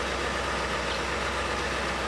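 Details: 1957-gauged vehicle's repeat test start after starter hookup, renewed cables and wires, and a new marine key switch: steady, even idle with a smooth low hum and no misses, knocks or surging; voltage at 13.13; running normally.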